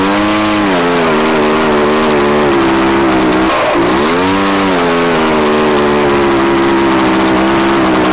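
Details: Echo PB-755ST two-stroke backpack blower on fresh two-stroke mix with Seafoam after stale fuel. The buzz runs fairly steady, but revs sag and recover mid-clip. It runs better, and the carburetor still needs adjusting.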